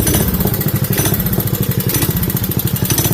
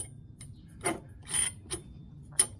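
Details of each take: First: Craftsman 5 hp Briggs & Stratton single-cylinder minibike with CVT belt drive, reassembled with anti-seize, red grease and an overly soft spring removed: it pulls evenly with a steady beat and clean pulses; the belt drive sounds smooth and healthy. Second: CVT belt-drive clutch on a Briggs & Stratton 5hp mini chopper, spun by hand: a few sharp, light, unevenly spaced ticks from the dry clutch bushing, which lets the belt idle so the bike can cruise. It needs grease.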